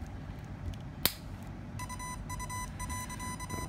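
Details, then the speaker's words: RC ESC battery plugged in without a spark suppressor: a single sharp crack of arcing at the connector, which blackens it, then the controller's steady beeps. "if you don't use a spark arrestor uh this is what's up this is what happened you can hear this noise and of course your connector will get blackened a little bit which you need to clean"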